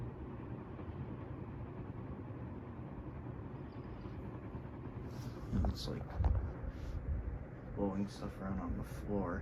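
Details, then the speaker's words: 1978 Dayton/Lasko/Sanyo ceiling fan on low speed with bearings newly replaced; low, even whoosh of air, no ticks or grinding, paper rustling nearby; runs smooth and quiet. "so then let's turn it down to low pretty quiet and tame on low but the other two speeds definitely not"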